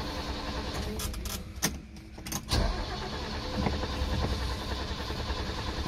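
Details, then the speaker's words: Long-stored Mercedes-Benz G-Wagen with mechanical fuel injection, cranking with starting fluid sprayed: starter cranks in short bursts with whirring and clicks but never catches; crank no-start, cause not confirmed. "is not good can't get anything started oh my gosh why won't you start g-wagen"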